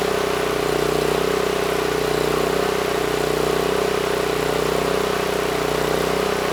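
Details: NorthStar 8000 PPG generator with a 13 hp Honda GX390, refueled, governor set screw adjusted to about 61 Hz (target about 61.5 Hz): steady even drone with a constant mid hum, no surging or misses; governor holds speed; normal run.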